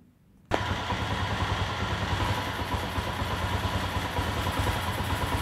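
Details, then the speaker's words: Motorcycle that wouldn't crank, after bridging a blown fuse with wire as a temporary fix: fires straight up and settles into a steady, even single-cylinder beat with light revving. Running normally. "fechou tudo novamente e aí vai lá na chave ea moto já voltou a funcionar"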